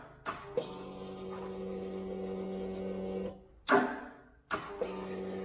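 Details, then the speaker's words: 2008 Kawasaki Vulcan 900 Classic LT, unstarted for 8 years, with a new load-tested battery: the starter clacks and whirs steadily but never turns the engine over, no compression pulses, a seized engine; the owner suspects the starter. "the starter to me it sounds like it's it's engaging it's just not turning the motor over it sounds like it's the power is getting to it"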